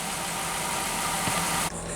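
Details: 2005-2010 Jeep Grand Cherokee 5.7 HEMI after alternator replacement, with the old alternator suspected of mechanical failure: engine started and settled into an even, steady idle with no belt squeal or clatter; normal idle.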